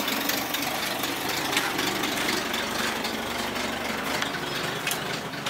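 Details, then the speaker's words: Ford Falcon 170 six after a hesitation fix, retimed to 4 degrees with vacuum advance disconnected and points reset: a steady idle with an even hiss and patter, no stumbling, and it does not die. It is still smoking some. Normal idle. "sounds like it's got a little bit of still smoking some but it drives around good and it doesn't die when it sits there idling"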